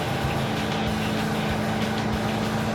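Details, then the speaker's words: Roadkill Super Camaro carbureted V8 under way after carburetor swap, air cleaner fitted: even, steady drone with no stumble or popping, no longer lean misfiring, quieter; normal running, though not faster. "Oh, it's a different car, dude. Runs way better."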